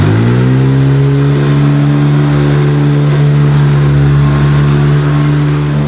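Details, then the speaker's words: Hoover Decade 80 upright vacuum, a US import, at normal power before using the power surge switch: loud, steady low hum with heavy buzzing vibration. Owner unsure whether it is normal. "seems to vibrate a bit and is quite noisy but perhaps that's the sound that they should make"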